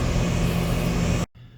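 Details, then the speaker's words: Condenser of a 2-stage central AC at a rental property, running on stage 1 (low stage) at about 15 amps on one AC line; even low hum and steady fan rush that cuts off sharply; normal stage 1 operation. "So it came back on right away. It is reading 15 amps total. I just got it on one of the AC lines. About 15 amps."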